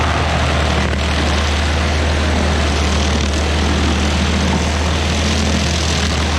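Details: Stump grinder's first grind after a motor rebuild, on a willow stump: strong, steady drone holds its pitch as the cutter bites into wood, pulling smoothly with no misfire. Leftover oil on the heat shield cover burnt off.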